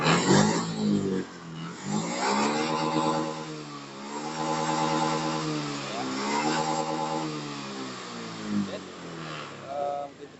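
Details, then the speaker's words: Motorbike after fixing a faulty TP (throttle position) sensor that caused loss of power at full throttle/high rpm: engine revs up in smooth repeated sweeps, pitch rising and falling cleanly without stumbling or cutting out. "OK, now let's try to turn it on , turn it on first, it's starting a little now, let's gas"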